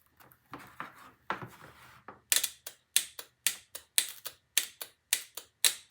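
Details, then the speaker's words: Starter solenoid (not internally grounded, separate ground wire) bench-tested with battery cables: crisp metallic clicks about two a second show the magnet coil pulls in properly, though the switch contacts are not yet proven; metered afterwards. "you can hear that clicking that means the magnet's working doesn't mean the switches work"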